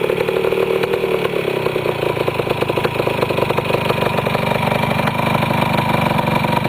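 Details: Restored 1973 Yamaha CT175 two-stroke with rebuilt carburetor, just started: fast, crisp idle staying steady and even with no misses or surging; healthy, easy-starting engine.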